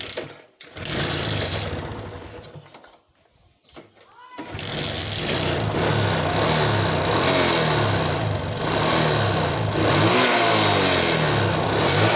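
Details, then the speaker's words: Suzuki Smash motorcycle with hard starting and poor acceleration; fuel found dripping in the vacuum line, flooding suspected. After a couple of sputters it catches and revs up and down smoothly without bogging. Clean revving. "[เพลง]อ้าวนะครับเร่งได้นะครับนั่นหมายความว่าอ่าน้ำมันท่วมนะครับเป็นน้ำมันลงเยอะนะครับ"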